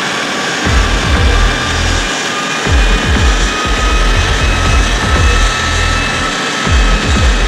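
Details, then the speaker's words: Subaru Forester on the dyno, about 155-159 hp and 229 Nm: loud engine roar under full load with heavy rough drivetrain rumble; owner suspects worn bearings, unconfirmed. "Ah, il y a tout qui bouge, ça fait du bruit. Je pense que ouais, les roulements, tout est HS et ça fait vachement de bruit"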